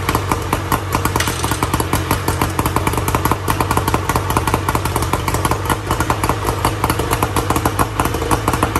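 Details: 1994 Tohatsu M40C two-stroke outboard after water pump replacement, unseizing and freeing the locked lower unit, running in gear (forward/reverse work; prop spins too hard in neutral): fast, crisp popping with steady beat, no misses or stumbles; clean.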